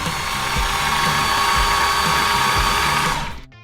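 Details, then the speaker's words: Flood-submerged Porsche 911 GT3 RS, engine rebuilt from scratch, crank without fuel or spark: fast, even starter whir, light pulses about four per second, no compression bumps; engine turns freely, water never reached pistons, normal cranking. "Deu partida! Eu não tava esperando por isso. Mano do céu. Isso. Que é isso? Que ótima notícia. Meu Deus. De fato funcionou. O motor chegou a dar partida."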